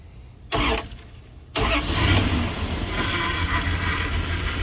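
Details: Weak-battery truck jump-started with a JFEGWO 6250A jump starter at 12V ready: a quiet pause, a short crank, then the engine catches and settles into a steady, even idle; it started cleanly.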